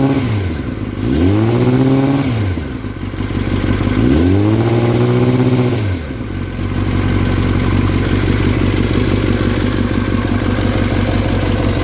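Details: 2003 Yamaha R6, rattling since a recent trip to Europe: two quick revs then steady high idle with light metallic clatter; owner unsure if normal or if performance is affected; engine rattle, cause unclear.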